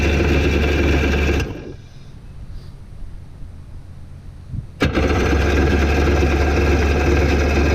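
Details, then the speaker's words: 1992 Yamaha WaveRunner WR500 two-stroke at the lake, after seized-engine repair, new battery and new carburetor: buzzes steadily, dips briefly, then returns strong and even; starts right up and runs cleanly. "There we go. Hell yeah, starts right up."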